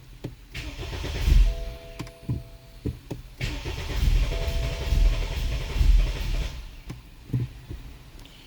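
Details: 2013 BMW 528i xDrive F10 with N20 engine, spark and injectors checked OK, fuel pump on, charge-pressure and charge-air-temperature sensor codes: repeated few-second bursts of starter churning with no catch; cranks, no start, cause undetermined.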